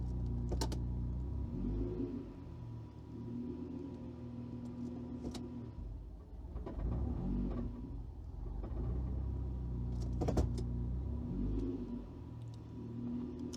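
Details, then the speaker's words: Freshly installed engine on new ECU, coolant somewhat cool: idle wavers and dips unevenly when put into gear, stumbling and nearly stalling (previously stalled 60-70% of the time); idle control motor later found faulty. "All right, so it didn't stall that time, but you get the idea. It's not normal. It should go into gear and stay running smoothly."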